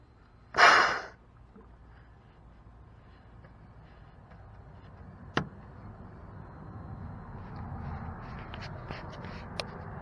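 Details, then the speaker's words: 2010 Toyota Prius that knocks and shakes violently on first morning startup; loosening the coolant reservoir cap releases a loud, sharp hiss, indicating combustion gases entering the cooling system (suspected head gasket failure). "now little hissing is considered normal but if it hisses like that that is an indicator of combustion gases"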